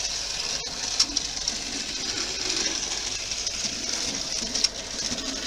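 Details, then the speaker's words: Model locomotive R238 'Sketty Hall' running on a rolling road: faint motor whirr with an intermittent but fairly regular short chirp; squeak isolated to dry armature bearings, fixed by lubrication. "So I've been running this little Sketty Hall for a while, and you can distinctly hear that kind of chirping it's making every now and again."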